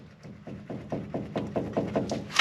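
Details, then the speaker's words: 2012 Ram 2500, passenger front wheel bearing and axle shaft removed: about four dull, even clunks a second as the knuckle is rocked by hand; worn upper ball joint, same on driver side. "well got the passenger side wheel bearing out and axle shaft out and while i'm saying these ball joints are bad"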